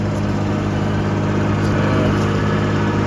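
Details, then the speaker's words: VW LT31 tow truck started after 3-4 months sitting: steady, even low idle hum, no knocks or misses; running normally, slightly sticky. "But yeah, it is running. Like, slight sticky."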